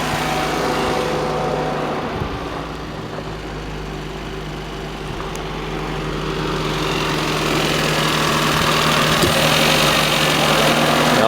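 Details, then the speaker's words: Toyota Paseo at idle after engine overhaul and intake hose clamp fix, fans straight-wired: steady hum and fan rush swelling and easing as the A/C compressor cycles, cabin getting cold; normal operation. "you can hear the AC pump cycling. The compressor and the fans for it."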